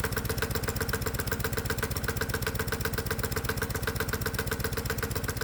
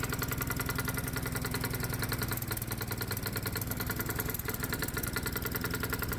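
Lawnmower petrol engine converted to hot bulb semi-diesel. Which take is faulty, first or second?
second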